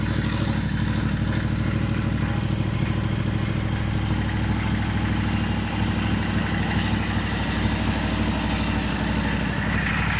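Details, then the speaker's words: Royal Enfield 650 twin just rebuilt with a Revelry 700cc big-bore kit and new clutch, first start after reassembly: an even, steady twin thump at low idle with no knocks or ticks; very quiet and healthy. "Woo, that's nice and quiet. That motor is quiet as it can be."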